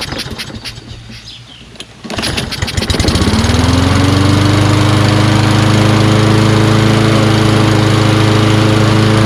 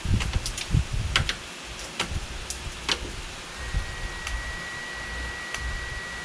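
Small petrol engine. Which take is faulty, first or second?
first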